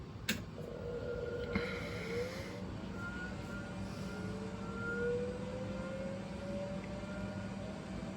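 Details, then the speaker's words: Repaired original MFM hard drive in an old Compaq 386: faint whine climbing in pitch as the platters spin up over low hum, no squeal. Normal hard drive spin-up. "Well, seems like we got a working machine now. Uh don't have any noise and that's great."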